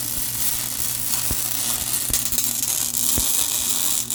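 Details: MIG welding on the Honda Odyssey FL350 electric (500e motor) build after dropping wire speed to 5.5 from too-fast wire: even, crisp frying crackle with occasional sharp pops, steady arc; sounds way better, normal weld.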